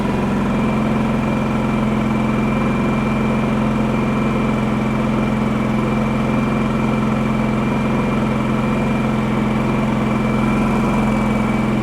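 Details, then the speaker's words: Champion 4500 W dual-fuel inverter generator, previously non-running, on propane, covers off, eco mode, no choke: steady even low drone, no misses or knocks, quiet, about 61 dB rating; normal idle. "She's quiet even without the covers on. These are only supposed to run about 61 decibels."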